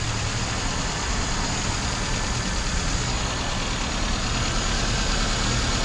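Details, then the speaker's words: 1996 Toyota Corolla distributor engine idling with P0301 cylinder 1 misfire code, compression good: rough uneven idle with irregular stumble in exhaust pulse; not a heavy misfire, being diagnosed with secondary ignition scope. "it's not a heavy misfire okay that's not good"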